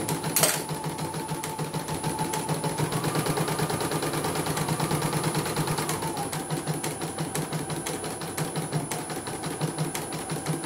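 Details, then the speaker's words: Embroidery machine after adjusting a setting that was too close: quick steady stitching rhythm, the earlier "krek krek" noise gone; normal running. "Oke. Sudah tidak bunyi lagi. Cakep, cakep."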